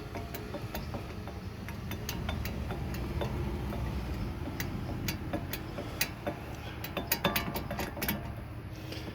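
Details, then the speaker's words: 1998 Infiniti I30, 180,000 miles, front passenger wheel, squealing or roaring: irregular sharp clicks and knocks over low rumble as wheel rocked up and down; play points to worn wheel bearing, suspected. "if the uh banshee like squealing or roaring from the front passenger side doesn't tell you that it's a bad wheel bearing maybe this will"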